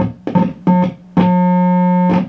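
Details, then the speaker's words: Marshall Silver Jubilee 50 W amp with low output and distortion: a steady tone cuts in and out in bursts as the effects return jack is wiggled. The jack's shorting switch is faulty, causing loud hum and no signal. "have found the problem it's this effects return jack it's faulty which is strange because i actually jacked ch check that in"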